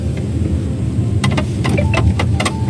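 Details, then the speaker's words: Chery panoramic sunroof (Tiger 8/7 Plus type), driving over bumps with sunroof closed: short sharp creaks and squeaks over road rumble from dry sunroof rubber seals rubbing as body flexes; cracking sunroof open silences it; fix is special seal grease. "这个就是天窗的问题导致的，缺油了。"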